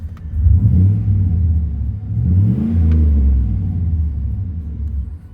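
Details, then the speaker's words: 2002 Chevy 2500 LT 2WD, 169,842 miles, revved with door closed and window down, heard near exhaust: deep smooth rumble swelling with throttle and falling back, no knocks or rattles; healthy engine and exhaust, "sounds tough." "lights that sounds tough dude that thing sounds tough kind of hear it down here by the exhaust smooth little [Music] purr"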